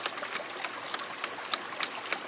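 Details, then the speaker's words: LandToHouse ram pump, 1-inch supply reduced to 1/2-inch threaded into a shutoff valve, lifting water about 70 feet uphill through 1/2-inch poly pipe: sharp, regular waste-valve clacks about three times a second, cycling quickly. "and then I got a threaded male nipple going into the shutoff valve there, and you can see how quickly it's operating."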